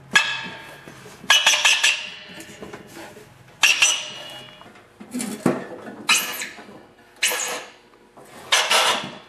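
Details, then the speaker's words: Snowblower with the engine off and the spark plug disconnected, impeller turned by hand: a short high squeak with each push from the auger brake rubbing the pulley. This is normal. "well what that noise is is like a brake system that goes around the pulley to make them stop quicker when you release the augur lever so it's totally normal that you hear this noise when it stopped like this and you turn it"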